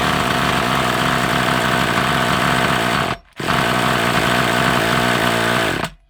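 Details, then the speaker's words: Hobao Hyper 7 nitro RC engine, sat over two years, after oil added for compression: shrill high-revving buzz fires about three seconds, drops out, catches again and dies; owner suspects blocked carburettor. "All right. I've got a little bit of a suspicion we might have a bit of a block carburetor as well."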